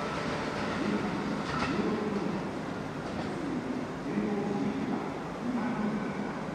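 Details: JR 221 series trains NA415 and NA429 on a local service to Tennoji, departing Tsuruhashi: a rhythmic thump from the wheels quickens over the rail clatter as the train gathers speed, from a wheel flat.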